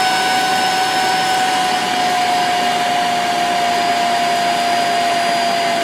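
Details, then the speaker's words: Vacuum cleaner with universal motor run through a BN-LINK plug-in variable speed controller, turned from high down to lowest setting: steady even motor whine with airy rush, pitch drifting down; runs normally with reduced suction, slightly quieter. "so there you go that's on the lowest it's still as suction but not like it does on [Music] high"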